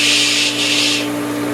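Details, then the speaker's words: Pool pump running after spring pool opening: steady motor hum with a rough shushing hiss over it, which the owner attributes to bad pump bearings; pump still operational and may run for years like this. "I can hear the bad bearings in the pump. It's kind of a shh"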